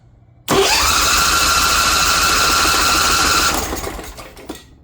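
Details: Kawasaki Mule repowered with a Briggs Vanguard engine in place of its blown diesel, choke on, fuel filter pre-filled: the starter spins with an even whir for about three seconds and it never catches; the owner suspects reversed fuel lines.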